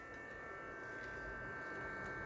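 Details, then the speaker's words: APC Back-UPS 1600VA 900W (BX1600MI) with stock ADDA fan, before replacement with a Noctua NF-A6x25: steady quiet fan whir with thin whine and low hum, not loud but very annoying; airflow seems reasonably high. Noisy cooling fan. "Yeah, the noise is not high, but it's very annoying."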